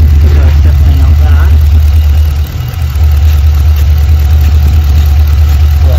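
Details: LS3/L77 V8 in a VF/VE Commodore at idle: deep, lumpy, uneven rumble with stumbles, running on seven cylinders. A spray test finds one cylinder cold; the misfire is from a failed injector, which OBD also indicated.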